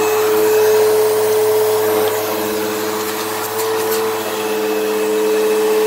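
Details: Eureka Whirlwind True HEPA 4383 vacuum on high setting: thin whine over the motor rush dips as the roller winds down; the brush roll bearings sound worn and it probably needs a new brush roll, while the motor sounds fine.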